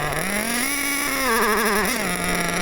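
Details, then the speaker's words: Nitro RC car engine during carburetor mixture tuning: high buzz climbs then wavers and hunts unsteadily; suddenly too lean on the low end, owner suspects a fuel blockage. "Still too lean on that low end now. Don't know why that happened. Really know why it's gone all of a sudden too lean on the low end."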